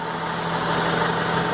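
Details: Honda Civic 2000 at about 110,000 km after a full post-purchase service (leaks fixed, valves adjusted, timing and idle set, STP additive added): smooth, even idle, steady low hum, no knocks or misses; running healthy.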